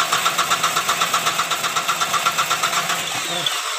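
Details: 2008 Mitsubishi Strada Triton diesel, hard morning starts and vapor from the oil cap: even idle clatter near four beats a second with a puffing pulse each stroke; blow-by from compression loss or injector leak suspected, not confirmed.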